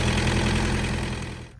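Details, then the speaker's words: Thermo King reefer unit diesel engine on a trailer, which earlier would not start: preheats, fuel pump buzzes, then it starts and settles into an even, steady chug with no knock or misfire before cutting off; normal idle. "It's a diesel engine, so it has to preheat the motor and everything, and then fuel turns on and you hear the buzzing, and then it starts up. There we go."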